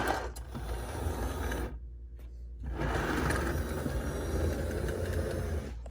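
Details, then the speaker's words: Penn Line/Bowser Pennsylvania Railroad T-1 4-4-4-4 kit locomotive with a painted rear truck fitted, passing a Peco switch: busy gear whir drops out abruptly for about a second then resumes; motor stalls from a short, not an open. "And it only does it with this one. And it's not an open, it's a short."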